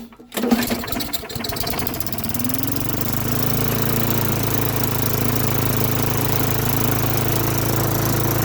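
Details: Lawn-Boy mower with Tecumseh 4.5 hp four-stroke, sat 20+ years: catches after a brief start, then settles into a steady, even low putter at slow throttle; running smoothly.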